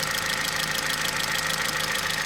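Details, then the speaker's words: Opel/Vauxhall Meriva 1.4 Ecotec petrol at about 236,000 km, idling with a fast, even diesel-like tapping from the plastic intake-manifold swirl flaps, often mistaken for timing chain; intake swirl flap chatter. "This diesel kind of tapping noise you could hear on this engine is basically nothing else but coming from inside here. There's little valves that control the airflow going in to the intake manifold."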